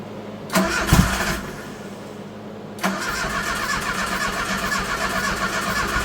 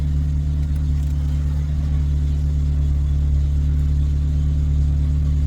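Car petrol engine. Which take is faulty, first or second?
first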